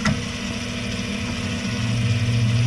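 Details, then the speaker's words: 2018 Jaguar F-Type, fire-damaged rebuild, wheel off: electronic parking brake caliper motor hotwired via its connector, steady low whir for a few seconds as brake releases and rotor frees; normal operation. "okay I'm starting to feel the rotor move H there it goes so now that's how you release the electronic brake"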